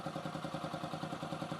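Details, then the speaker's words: 2008 Yamaha XT125R Big Wheel, stored 12–15 years, after carb clean, new battery, new plug and flushed tank: even, steady single-cylinder putter about eight beats a second, no misses or knocks; oil reaching head, not noisy, normal idle. "So if oil wasn't getting to the head, it would be noisy by now. It's good. I mean, Japanese motorcycle, what can you say?"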